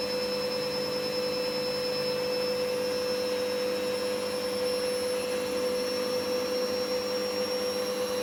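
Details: Candy GVS169D3/1-80 Grand O Vita 9kg washer, after replacing failed triac fixing error E09: steady even high-speed spin, clean constant motor hum, no knocks or grinding; running properly.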